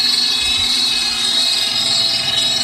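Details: Dolphin S 300i pool cleaner after a temporary fix for a slipping drive, guitar pick in place while the gear is on back order; steady high motor whine with even drive noise, no skipping or grinding, runs normally both directions.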